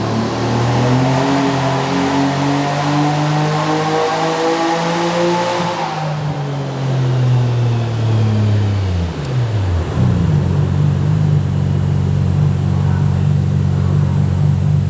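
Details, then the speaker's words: Twin-turbo forged RB26DETT Nissan Skyline R32 GT-R on a dyno, full-power pull on a cold night: engine pulls cleanly to high rpm, then winds down and holds steady with no stumble or popping; no misfire. "There's no misfire there."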